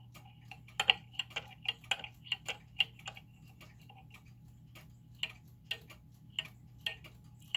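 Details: German time/strike pendulum clock movement before its final crutch adjustment: uneven tick-tock, ticks bunching in pairs with a short and a long gap, so the clock is still out of beat.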